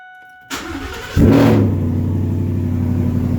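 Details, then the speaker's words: Fiddy vehicle after nylon fuel line repair and tank install, first test fire: brief pump whir, starter cranks, engine catches and flares, then settles into a steady even idle; normal start. "Nice. I'm really happy she's running again."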